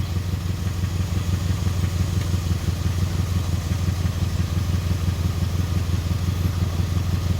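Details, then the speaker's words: 2002 Chevy Impala 3.4 V6 with P0300 random misfire code, idling: low, lumpy idle pulsing about three times a second with occasional uneven thumps. The scan tool shows 63 misfire cycles; the cylinder is not yet identified. "Cycles of Misfire 63. I'm picking up a Misfire, but tell me what."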